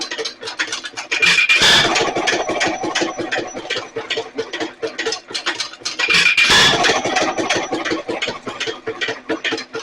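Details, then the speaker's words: Nelson Little Jumbo 1 1/2 HP hit-and-miss engine after governor repair (worn part fixed); sharp firing bang about every 4.5 seconds, then long coast with valve clicks as the governor part holds the valve open; finding: normal hit-and-miss running. "Every time it slows down, this goes in and holds that valve open. It goes back and takes off."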